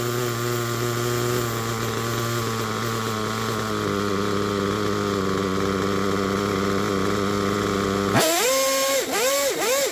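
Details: Picco P3T DLC nitro engine, almost 10 gallons through it, new bearings and connecting rod, worn crankshaft, sleeve and block damage: high buzzing idle wavers and hunts about eight seconds, then quick throttle blips; rough idle, rear bearing suspected to fail soon.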